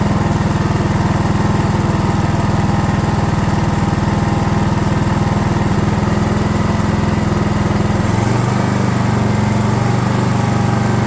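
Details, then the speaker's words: DR all-terrain mower with Kawasaki FV420V single-cylinder engine, revived after sitting for years; carburetor jets sprayed with brake parts cleaner. Steady, even beat with a slight speed change near the end and no stumbling. Runs cleanly. "all right well that's just a Kawasaki engine for you they don't care they just run"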